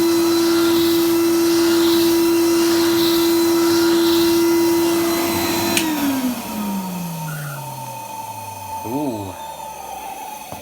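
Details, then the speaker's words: Numatic Edward EVR370 vacuum after cleaning, having run poorly at first: loud steady high motor tone holding even, winding down smoothly at switch-off; runs fine, though considered noisy. "not bad it's low"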